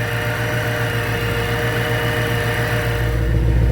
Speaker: you come back here has a nice idle sorry that she's dirty but you know she's had some stuff going on sounds good now